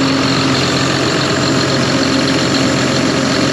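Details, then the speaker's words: John Deere 7200R, after a new engine wire harness for fuel rail pressure fault codes and exhaust manifold reassembly; it started once a loose fuel line was fixed. Warming up before coolant top-off, with a steady, even diesel idle and no manifold ticking or puffing: normal idle. "well we'll let this engine warm up and then uh get it topped off with coolant and then we can close the hood up"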